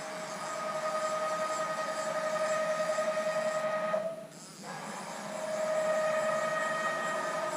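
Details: Haas VF-3 retrofitted with Chinese servo drives, Y axis moved by handwheel: steady high-pitched whine while moving, briefly dropping out.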